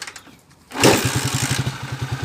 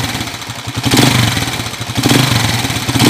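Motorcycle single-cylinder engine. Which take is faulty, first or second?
second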